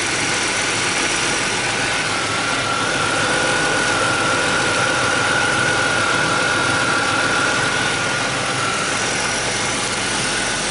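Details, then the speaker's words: Ford Taurus 3.0L OHV after intake and timing cover gasket replacement, engine being flushed with water after an apple cider vinegar clean: steady, even idle with a faint constant high tone, no knocks or misses; running nice and smooth. "you can hear, it's running nice and smooth."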